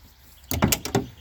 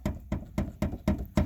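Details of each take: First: Classic Ford door after replacing worn hinge bushings with electrical tape wrapped about 18 times: short solid slam with firm latch clicks, no rattle afterwards; normal door closing. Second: Old Ford (1960s-90s) door shut: six quick hollow clunks from a loose latch knocking on worn striker bushings, instead of a solid closing sound; also rattles over rough roads, fixed with black tape.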